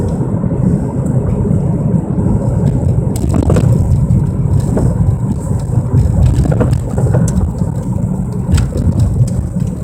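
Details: 1997 Mercury Mystique: heavy deep rumble in cabin while driving, starting on acceleration and growing louder with speed, with scattered clicks and road thumps; owner suspects wheel bearing or rotors.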